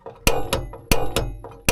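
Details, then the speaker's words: VW California camper van gas hob with the underneath switch on: sharp clicks about every quarter to half second with no whoosh of flame; igniter sparks but no gas flows, faulty gas regulator valve, fixed by replacing the regulator. "the igniter clicking. There's still no gas coming through and it still isn't lighting."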